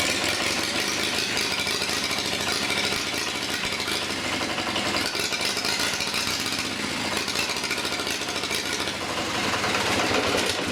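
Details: Long-stored Onan diesel generator, battery partly recharged, injector pump linkage worked by hand: catches with uneven rattling chug about three beats a second, then sags and dies.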